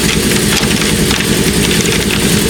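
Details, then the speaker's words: Replacement E-Max (Eaton) shop air compressor, installed in place of a 30-year-old Craftsman, running normally: steady muffled drone with an airy rush, even and unbroken, quiet, muffled by its large housing; no knocks or skips. "so this is the compressor if you list carefully it's pretty quiet right now that's the noise pretty good somewhat muffled by this giant uh house I"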